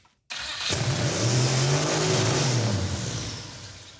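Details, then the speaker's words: Turbocharged 5.3L LS4 mid-engine 1974 Mazda RPU on fire-up: engine catches and flares straight to very high revs, hangs, then sags; throttle seemingly stuck open and spinning backwards, tune suspected, unconfirmed. "throttle stuck open much it's also in Reverse yeah it was spinning backwards but also didn't it rev to the Moon"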